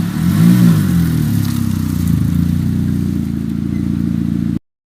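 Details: Ford Fiesta Mk7 with Borla exhaust, after exhaust leak fixed with silicone gasket: deep even exhaust note through a rev and settle, no ticking or puffing leak noise; exhaust sounds sealed, normal.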